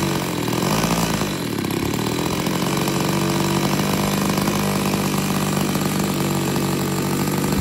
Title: Turnigy T-21 Gas engine run-up on Hangar 9 Super Cub 15cc. Richter idle screw fixed it. 👍🏼